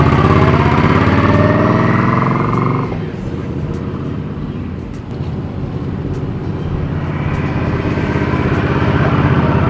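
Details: 2020 Indian Scout Bobber V-twin with new Vance & Hines 3-inch Slash Cut slip-ons replacing stock pipes, no reflash: loud deep blat revs up, drops back, settles to even lumpy idle, no knocks or rattles; normal running, loud but good.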